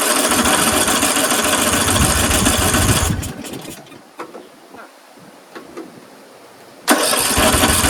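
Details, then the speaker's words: Craftsman 13.5HP 30-inch rear-engine riding mower, off choke after a corroded carburetor was cleaned: runs ragged about three seconds, then sputters out with weak pops. Owner suspects loose valves; later traced to a collapsed fuel line starving it of fuel. "It wasn't getting enough gas. It was starving for fuel. That's why it runs well for the first 5 seconds or so."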